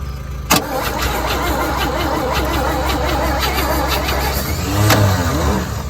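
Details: 1963 one-ton truck long sitting in a yard, first revival attempt with extra fuel poured in the carburetor bowl: starter churns steadily with occasional coughs, seems to want to catch but never fires; cranks, no start.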